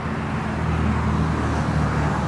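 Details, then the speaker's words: 2010 Ford SVT Raptor, 6.2L V8, 118k miles, idling outdoors: steady, even low rumble with no knocks, ticks or misses; idle sounds like it should, normal. "you just can't beat it idle's great sounds like it should"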